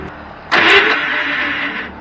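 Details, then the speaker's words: Mitsubishi military Jeep at startup: harsh metallic grinding rasp as the starter kicks in, easing after a second; worn Bendix drive gear not engaging fully, fixed by removing the starter and replacing the Bendix. "Oops. So I don't know if you can hear that, but the starter sounds funny."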